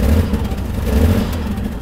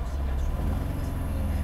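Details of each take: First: Mercedes-Benz W126 300SEL, starts only in N, before repair: uneven surging revs and lumpy low rumble, heavy shaking, gasoline smell; initial judgment fuel distributor or high-pressure line, later fuel distributor and injectors replaced. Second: Mercedes-Benz W126 300SEL after overhaul, warm idle around 700–800 rpm (gauge reads near 600) with the AC on, then shifted into drive. Low, steady idle with no knocks or hunting, rpm only dips slightly, so the transmission seems okay. Normal warm idle.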